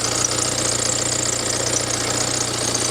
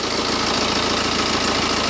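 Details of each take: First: Cheap written-off BMW being checked for coolant loss, engine warm at idle: thin high-pitched chirping squeal over a steady idle. Owner wondered about the water pump, but WD-40 sprayed on the serpentine belt stopped it straight away, so it is belt squeak. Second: BMW with about 190,000 miles, idle after spraying WD-40 on the serpentine belt: steady even idle with no squeal or chirp; the squeak seems to come from the non-original belt, which may be worth replacing.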